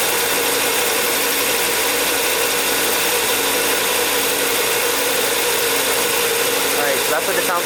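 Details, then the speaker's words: 2006 Volvo XC90 2.5T AWD at idle, before an engine modification: even idle with fast light ticking and thin whirr up top; owner suspects the timing belt tensioner, belt reportedly replaced at 200,000 miles by previous owner. "I think something's wrong with the timing belt tensioner with that sound reminds me of my Marquee Jetta"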